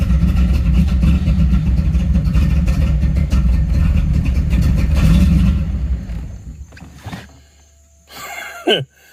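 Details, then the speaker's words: 1986 Camaro IROC after refitting the factory mass airflow sensor in place of the aftermarket one: steady cranking about four turns a second, engine never catches; crank no-start, owner suspects the MAF sensor is bad. "maybe this mass airflow sensor is bad hell i don't know"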